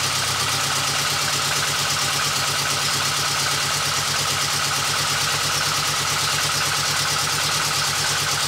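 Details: VW Golf 2 GTI with Digifant injection at idle after fitting smaller injectors; steady idle with a lumpy, uneven pulse under loud hiss, as if one cylinder drops out. Misfire unchanged by the new injectors; owner unsure, wonders about fuel flow.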